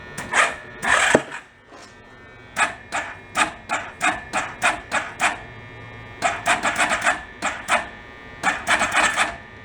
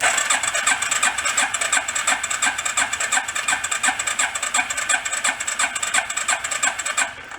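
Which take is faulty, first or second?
first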